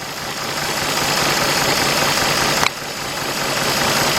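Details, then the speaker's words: 2004 Nissan Maxima 3.5 V6 idling in drive: rough, uneven shake from a cylinder 6 misfire (P0306), checked by unplugging ignition coils one at a time. "all right there's our misfire guys"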